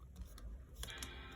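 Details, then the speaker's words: MacBook Pro 15" A1707 (2016–2017) powered on after swollen-battery replacement with a new battery; fans on, brief click, then soft sustained startup chime; normal startup chime. "Okay, you heard the chime."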